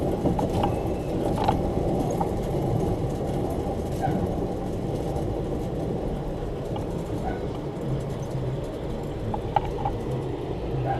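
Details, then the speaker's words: Chevrolet Silverado front wheel lifted and spinning: rough, steady grind with a little chirping, where the other side had only slight brake pad grind; worn front hub bearing. "not only can you hear the grind but and you got that little chirping sound on the other side there was nothing more than the slight grind from the brake pads"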